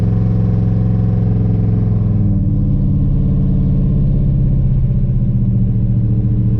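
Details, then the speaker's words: Chevy S10 with a 5.3 V8 under driving load after some plugs were replaced and the battery terminals cleaned: deep rumble with an uneven, stumbling beat and no throttle response; the misfire persists and the cause is not yet found. "definitely not it's definitely not fixed so we still got some more work to do it has absolutely no throttle response"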